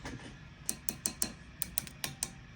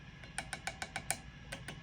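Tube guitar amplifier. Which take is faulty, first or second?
first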